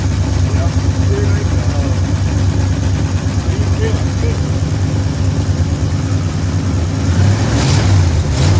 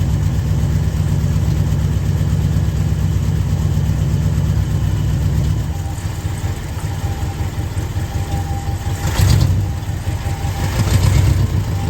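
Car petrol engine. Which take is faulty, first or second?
second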